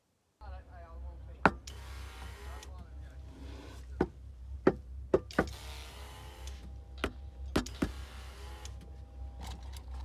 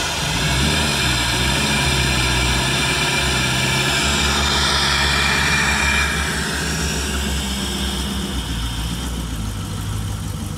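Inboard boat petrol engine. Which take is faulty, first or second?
first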